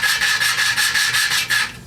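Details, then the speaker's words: Old commercial Lawnboy mower with a Briggs & Stratton engine that would not run, during an in-situ valve job. Lapping compound on the valve seat gives a rhythmic, even rasp, about four strokes a second, that turns finer as the lapping nears completion. "lift it every now and then so that new material goes in you can hear it it gets finer sound changes"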